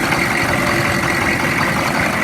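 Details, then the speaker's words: 2002 Chevy 3500 utility truck, 6.5 L diesel, 89,150 miles, stopped almost a year, running 5-10 minutes after jump and starting fluid: heavy clatter at idle, steady but slightly uneven, rough but smoothing; may need service. "It was hard to get it running. It took two jump boxes and some starting fluid, but after trying a couple of times, it started up. It's running now for about 5 or 10 minutes. It sounds a little rough. It's not loud."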